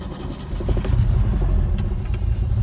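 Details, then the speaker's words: IZH Moskvich 412 engine with good fuel, new spark plugs and ignition leads, clean carburetor: catches almost instantly on a half turn and settles into a steady low rumble without stumbling or misfire. "Сейчас я его заведу, и вы послушайте, как он запускается просто с полоборота."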